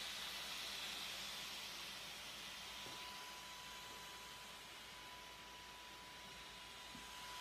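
A steady, airy high whir with a faint thin whistle that holds constant throughout; the cooling fan is running unusually loud.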